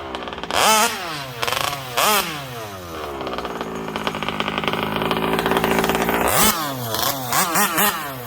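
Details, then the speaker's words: MCD XR5 71cc Taylor RC (Ghost Rider), small two-stroke, after kill switch, engine mount, gas tank and front brake linkage install, test run down the street: buzzes and revs cleanly through blips and a long pull, no misfire; has power, steering needs sorting. "she she got some power but you gotta be able to control that joint steer"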